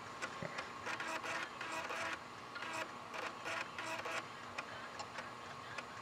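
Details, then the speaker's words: IBM ThinkPad 760LD booting from a floppy drive swapped in for the CD-ROM, setting up a RAM drive and extracting from a modified boot disk: short buzzy stepping and seek bursts with pauses, no grinding; floppy reading normally. "it never took a few minutes it was always relatively quick but the drive seems to be doing the trick there"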